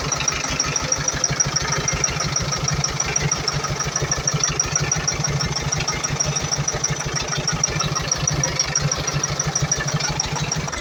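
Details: Iveco Eurocargo Tector diesel truck idling with an uneven, lumpy beat and white smoke from a defective electro-injector; rough idle.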